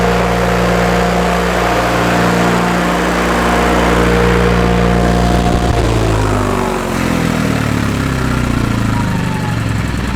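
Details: Miller Trailblazer 250 welder generator after valve job and carburetor refit. Engine holds a steady, even high drone at 3900 rpm (thought to be about 3600) with no dip toward idle. Possibly an electrical issue, suspected only.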